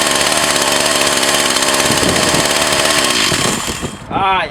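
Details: Older Echo CS 4500 chainsaw after a carburetor rebuild and possibly a new fuel filter: a high, buzzy two-stroke note holds even and steady for several seconds before switching off; the saw is running normally.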